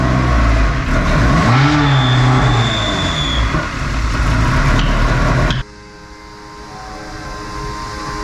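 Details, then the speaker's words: Ferrari 360 Challenge Stradale Spider V8 with accessory belt removed: revs hard then settles to steady idle, noise still present, ruling out water pump, alternator, pulleys and power steering. "not that so that little test has eliminated quite a few things water pump here pulley down there alternator here"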